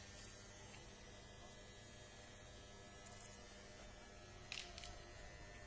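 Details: Steady low electrical hum with a faint buzz from a transformer; overload or a maintenance problem suspected, not confirmed; transformer hum.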